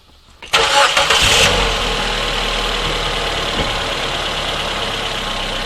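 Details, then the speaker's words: Mazda 626 that missed under acceleration, after replacing spark plugs (number one plug had carbon tracking) and reseating plug leads: quick crank, catches immediately, settles to an even steady idle with no stumble or miss. "good job we've now replaced our spark plugs and I'm happy with the results"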